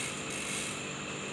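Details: Carbon road bike, cranks turned backward while hunting a mystery noise: fine, even ratchet ticking with no creak or knock underneath; normal freewheel ticking, pedal area judged fine.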